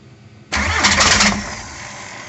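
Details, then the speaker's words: 1.9 TDI diesel after injection pump (TNVD) repair, reinstalled and bled, injection timing readjusted to true start of injection; cranking with extra fuel added, weak line delivery, it catches in a sharp burst then runs weak and uneven, struggling to settle. "Все, хорош. Есть схватка, поэтому пробуем заводить."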